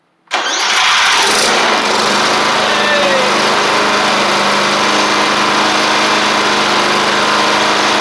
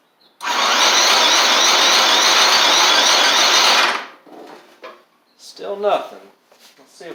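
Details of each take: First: Briggs & Stratton engine on a Murray 24-inch riding mower that had water in the fuel and rust inside, after carburetor work and very hard starting: fires and settles into a smooth, steady run, running normally. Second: Murray 24-inch riding mower with a Briggs engine, water in the fuel and rust in the engine, spark plug just reinstalled: about three seconds of steady whirring crank, then it stops with no firing. Owner thinks it's flooded and rust must flush out; cranks but no start.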